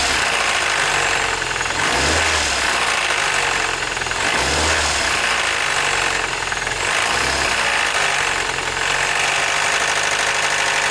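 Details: 2007 Mini Cooper, 11,000 miles, idling: dull low thump about every two to three seconds under busy top-end clatter, irregular engine knock, cause unknown.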